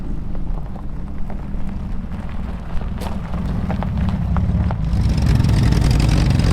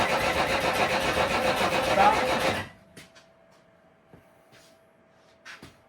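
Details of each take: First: Old junk car arriving back after being driven 1,000 miles home, rolling in then idling: a deep, steady low rumble with no knocks or misses under the outdoor noise. Engine running normally. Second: Old vehicle being revived, carburetors primed and a battery installed: the starter cranks at a steady, even rhythm for under three seconds without firing, because the coil power wire was disconnected.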